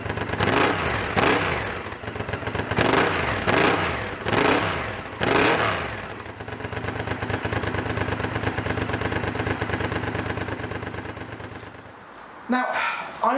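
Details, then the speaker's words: Honda Firestorm V-twin motorcycle with 22,000 miles: barks through several quick throttle blips, then drops to a steady loping idle without stumbling; normal idle and revving. "this one's done 22,000 and it runs and it sounds lovely"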